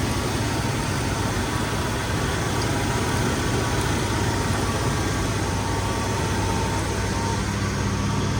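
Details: 71–72 350 V8 in a split-window Corvette coupe, first run in about 30 years, electric fuel pump, warming up, idle screw all the way out; steady, even low rumble, no misses, knocks or hunting, clean exhaust with no smoke, normal idle.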